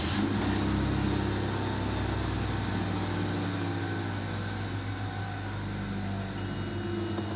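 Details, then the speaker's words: Hyundai Santa Fe that had high, hunting idle of 1000–2000 rpm from an air leak at the valve cover; after a new gasket and drilled-out broken bolts, and once slightly warmed up, revs drop to a steady, even idle with a smooth hum. "трошки прогрілися оберти двигуна упали зараз нормально працює рівно"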